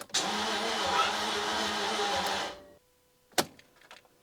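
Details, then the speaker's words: 1999 Jaguar XK, said to be the 4.0 V8 (plastic cover says 3.2). Starter spins the engine fast and light with no compression chugging, then stops; bore wash suspected rather than a starter fault; no compression, fast free cranking. "that was the sound of an engine spinning but very easily being a four leer I would expect some movement in the car and some resistance that sounded like an engine with absolutely no compression to be honest and not a starter issue"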